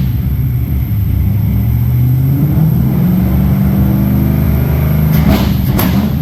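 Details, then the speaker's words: Chevrolet L98 V8 first fire-up, fuel pressure a little low, oil pressure reading high (gauge possibly wrong): revs up smoothly, then sharp cracks and pops near the top of the rev; big backfiring, but it runs. "so big back firing anyway it runs guys I'm pretty happy"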